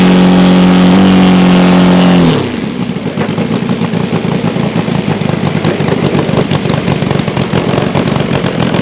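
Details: Saito FG-60R3 3-cylinder radial in a Legend Hobby T-28 Trojan RC plane, first run with cowl on, full-throttle run-up: high steady drone, then drops to burbling uneven lower beat; running rich, not clearing out.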